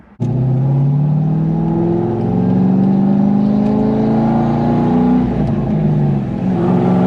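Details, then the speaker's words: C5 Corvette Z06 V8 accelerating hard through the gears: a steady whine climbs with engine speed over the exhaust note; source unknown, owner wants it fixed. "I love how this car sounds so much, except for that whining noise. I can't wait to get that fixed."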